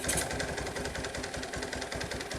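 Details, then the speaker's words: 1986 Kawasaki KLT185 three-wheeler, long-sitting, revived: single cylinder idles with an uneven, loping putter, beats wavering in strength and spacing; rough idle, owner suspects a partially stuck choke or a worn-out carburetor. "baby steps I don't know the choke might be stuck partially I don't know yep carburator is probably shot"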